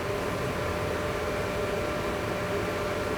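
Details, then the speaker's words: Ramco 120A MIG welder, rear cooling fan running before a CO2 welding test; even, steady rush of air with faint hum, no rattle or wobble; fan is small but fairly loud with good airflow, about 76.9 dB measured; normal cooling fan. "Ini kipas yang di belakang diberikan-nya tidak terlalu besar juga kalau menurut gua untuk fansnya ya tapi suaranya agak segitu kenceng ya Jadi sepertinya dorongan kipasnya menurut gue lebih oke juga ya guys ya"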